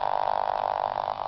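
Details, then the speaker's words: Solar-charged pulse motor: fast, even buzzing pulse with steady mid-pitched hum, nothing irregular; normal running. "okay that's what it sounds like just running"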